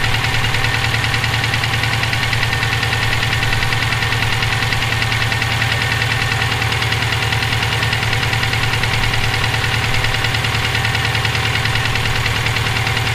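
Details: Subaru EJ257 at idle, heard for about 17k miles since purchase: a sharp, regular deep internal knock of about three per second. The owner suspects rod knock, a spun bearing or valve lash needing adjustment.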